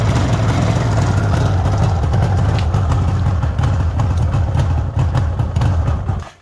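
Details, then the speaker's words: 1974 Suzuki GT750 triple, restored about five years earlier, still cold, choke taken off because it's a warm day: even, steady low burble, no knocks or misses, idling cleanly; normal cold idle. "all right just showing that it is cold i've taken the choke off because it's a warm day"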